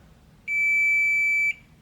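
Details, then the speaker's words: Air conditioner control board (Midea/Olimpia) continuity test after cutting a shorted diode: one steady high beep for about a second then stops, capacitor charging and discharging; capacitor in good condition. "ok asi que el pitido se queda por un rato ' extendido significa que el capacitor que deberia estar este en buenas condiciones"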